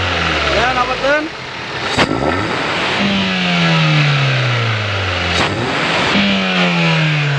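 Engine blips up and holds, pitch rising and sagging back smoothly each time, no knocking or stumble; it revs cleanly now.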